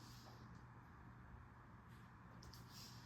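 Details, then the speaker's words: Reiker room conditioner ceiling fan with heating elements, fan motor running: quiet, steady low hum under the soft air rush; owner unsure why it hums. "I'm not sure if you can hear it, but it makes a little bit of hum for some reason. I'm not really too sure why it does, but it does."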